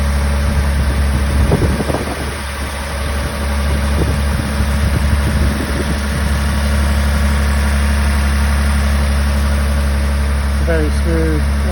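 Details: 1985 Toyota Celica Supra straight six, cold start after sitting a few weeks, timing belt changed at 115,000: deep, steady, even idle hum with no knocks or misses; normal healthy cold idle.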